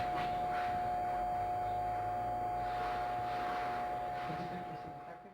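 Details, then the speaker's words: Ballast for a 70W sodium vapour lamp giving a steady, loud electrical buzz with a piercing tone, caused by its metal case separating from the resin on the side, which lets it vibrate. "nós temos um reator para lâmpada 70 lâmpada vapor de sódio né E nós vamos ver porque ele faz esse barulho aqui ó"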